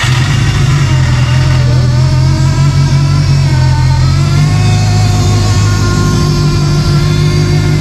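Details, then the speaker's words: Forester STI build on second cold start with a quick base map and possibly a small exhaust leak; power steering fully drained, not yet bled: wavering whine over the deep engine note, rising with revs, from air in the pump. "I could make the power steering noise go away, but man, does she sound good, guys."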